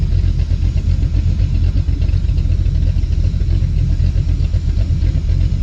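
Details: Dodge Dakota R/T 5.9L Magnum V8 with new heads and cam, idling outside awaiting its tune. A control valve hisses; owner suspects clogged injectors from sitting. Deep even burble at steady idle, no knocks or misses; normal V8 idle.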